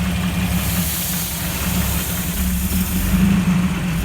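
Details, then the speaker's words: Jeep engine rebuilt from hundreds of pieces, first start with no check engine light: steady low rumble with an even idle beat around four per second and no knocks or ticks. Idles smoothly, "absolutely purrs." "we finally got this thing started I know you guys been waiting for that so we gotta started it sounds great it absolutely purrs oh yeah sounds really good that was great"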